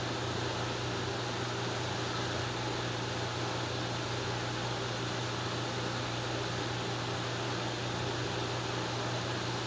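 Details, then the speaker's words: Restored 1950s Wizard 6JC2418 hassock fan, transformer repaired, on high speed: steady even hum with low motor tone and soft airflow, no ticking, rattle or grinding; normal running. "You're not hearing a whole lot of bearing noise or rattling or grinding, just as we did before."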